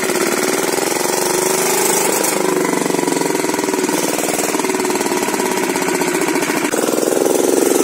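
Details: Kirloskar single-cylinder diesel engine that had stopped while running, after the mechanic's fix: fast, even thudding holding steady speed with no misses or knocks; runs normally.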